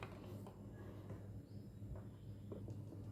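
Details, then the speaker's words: Sewing machine after adjustment and its two screws refitted: low steady hum with only faint light ticks, no knocking or clattering, running smooth and quiet and stitching properly. "आता इथे तुम्ही पाहू शकता मशीनचा आवाज अजिबात येत नाहीये आणि शिलाई सुद्धा व्यवस्थित बसते"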